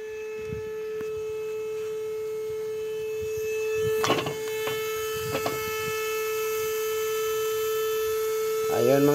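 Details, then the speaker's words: Old Caterpillar unit that overheated, engine shut off: steady unbroken horn-like tone, like a ship's horn, from the radiator area blowing hot air; overheat warning horn keeps sounding, then fades. "parang bar parang busina ng bar angang tunog dito rator [Musika] m kit dito bumubuga ng mainit na hangin m kakit ito yung parang bumubusina sa radiator niya"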